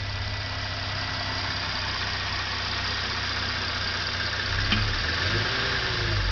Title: '13 Genesis Coupe GDI 3.8 Throttle Body Clunk/Click Noise at Idle